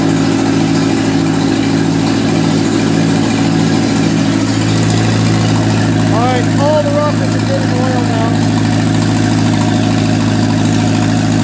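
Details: 1955 Ferguson TEA2085 tractor, an auction junkyard find that sat for years, started after oil reached the rockers; idling at a low, steady, slightly uneven chug without stalling. Compression readings include two kind of low.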